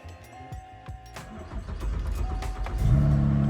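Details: Car that failed to start until the battery cable connection was improved: a short crank, then the engine catches cleanly and settles into a steady, even idle; a healthy start.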